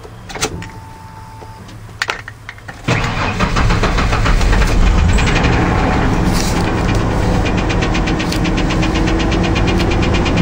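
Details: 1993 Ford F-150, fuel injected, 222,494 miles, just bought used. The engine catches after a short crank and settles into a quick, even tick over the idle, a few beats a second. Ticking at idle.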